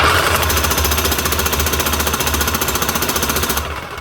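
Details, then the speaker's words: Big Bosch GSH27 breaker hammer test-run after replacing its faulty trigger switch: fast, even hammering blows at a steady rate that die away cleanly on release; working properly again. "Up and running again with just a new switch. Might be simple, but it ain't cheap."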